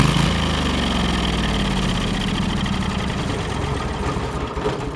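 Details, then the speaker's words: Kohler CH23S engine being shut off, previously idling poorly from old gas and a low-speed carb circuit problem: a steady drone lifts briefly as the fast-idle solenoid opens while fuel is cut, then dies cleanly with no backfire. Normal shutdown. "So the idea is it runs that fuel through it without backfiring. So you'll hear it rev up and then she'll shut down."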